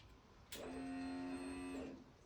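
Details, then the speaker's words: BMW R1200C cruiser at key-on after a DIY fuel pump replacement; before the repair the pump was silent and only a click came from the tank. Now a steady mid-pitched whirr lasts just over a second, then cuts off cleanly. Normal fuel pump priming. "So, there's the fuel pump going. So, we've progressed."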